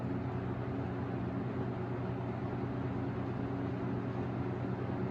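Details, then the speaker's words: 1996 Lakewood 223 20-inch box fan before restoration, on low speed, stiff squeaky switch: steady soft hum with even airy rush, no ticks or rattles; normal low-speed operation. "all right so there's the low speed it's a very modest low it's not exactly one of those super quiet second gen low speed where it's barely audible but it's it's pretty mild"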